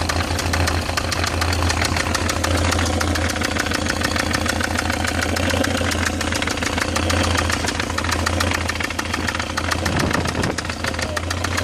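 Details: BMW E46 318i, M43TU engine, at idle: sharp, rapid, steady ticking knock over a firm low hum; owner suspects the timing chain tensioner, cause unconfirmed.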